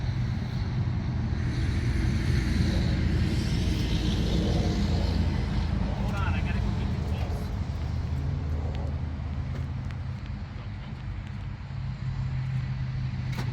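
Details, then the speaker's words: 1981 Jeep CJ7 sat over 12 years, all spark plugs removed, WD-40 sprayed in cylinders: starter spins engine in fast even whirr, no compression pulses or firing; turns over freely, but no reading on oil pressure gauge. "okay well it turns over but I'm not seeing anything on the oil pressure gauge"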